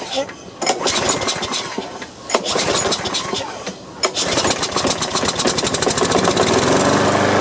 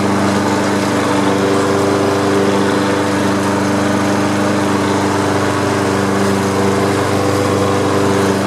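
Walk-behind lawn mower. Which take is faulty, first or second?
first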